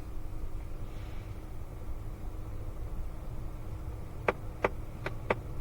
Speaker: Hear that clicking? Off, goes away, on, comes right back. So I know it's the recirculation actuator, meaning motor, little servo that opens and closes the door.